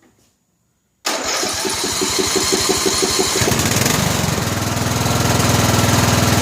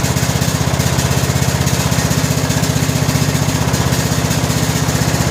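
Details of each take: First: Briggs & Stratton Intek 17 HP OHV engine, 2000 Scotts lawn tractor: starts well but irregular pops over a fast even thump; misfire from a spark plug gapped far too narrow. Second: 2000 Scotts lawn tractor (John Deere-built), 17 hp Briggs & Stratton Intek OHV single, after fitting a new correctly gapped spark plug: steady even chug about three pulses a second, no popping or misfire; running good.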